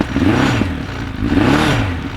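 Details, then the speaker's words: Suzuki Bandit 1200 project motorcycle, cold start with choke then choke off: lumpy, surging, coughing and spluttering idle, clearly running on three cylinders instead of all four; misfire. "know if you can hear that through the microphone but it's definitely on three cylinders yeah it's definitely not running on all four cylinders"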